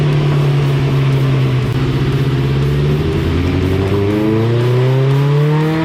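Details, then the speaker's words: 1987 Suzuki GSX-R 1100 on dyno during carburetor cleaning and tuning, earlier run; engine pulls up through the revs but wavers and stumbles partway, choppy and uneven; rough running under load before final tune. "did you hear how the last run was smooth it was good yeah good and the other run before that it was just kind of Chucky but good"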